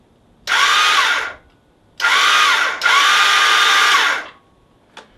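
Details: GS500 in neutral with the clutch in: three high whirring bursts of the starter spinning freely with no engine turnover; the magnet rotor, carrying the starter gear, has come loose on the crankshaft because its bolt loosened.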